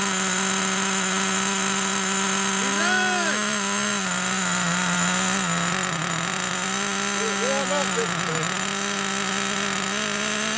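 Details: Nitro RC monster truck engine (Traxxas T-Max or HPI big block), started after 10–15 years of storage, a little cold: high, buzzy, steady pitch with a few brief dips and blips; runs normally, owner says fuel is still good.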